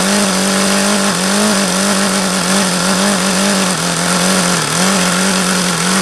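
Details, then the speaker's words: HP VT 21 rotary-valve four-stroke glow engine: high, fast buzzing idle that wavers and surges rather than holding steady; owner suspects the low end is still rich. "that was as low as I could ever think I've gotten it to idle see I could get it to go lower as long as I kept an eye on there like it's still rich"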